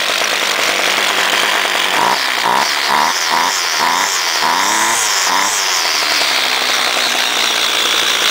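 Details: Homelite direct-drive trimmer unstarted for about two months, choke worked by screwdriver, started quickly: crisp two-stroke buzz revs up cleanly in quick blips and settles to an even high idle; runs well.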